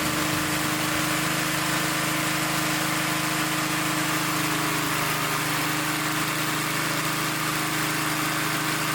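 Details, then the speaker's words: Restored vintage Blue Grass mower, single-cylinder engine, first run after rebuild on fast, paint burning off muffler: steady even drone, no stumbles or knocks; normal running, idle may need setting up. "I'm might have to set the idle up a little bit, but it runs. We're burning that that paint off that muffin."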